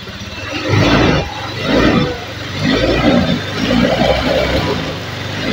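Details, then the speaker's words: Honda Beat eSP 2016 scooter after repairing dead electrics, abnormal charging and non-working double starter: several throttle blips revving freely and settling smoothly; starts and runs normally, starter working again. "Sekarang kita coba Nyalakan nah motor sudah berbunyi mas Nah double starter juga sudah berfungsi ya"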